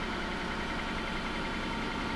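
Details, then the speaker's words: Mercedes S600 V12 with transmission troubles, after a new TCM: steady even idle with a smooth low hum, pulley not squeaking much and pump sounding better; normal idle. "okay sounds good she does sound good why do you sound so good car what's what's the deal maybe she was just tired"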